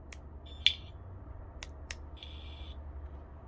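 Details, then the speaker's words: wsdcam bike alarm, claimed 113 dB, with back cover removed after one day on a motorcycle: only a few faint short high-pitched chirps barely above room noise; siren far too quiet, cause unknown. "here we have the wsd cam bike alarm I've taken the back off so you can hear even with the back off you can barely hear the alarm"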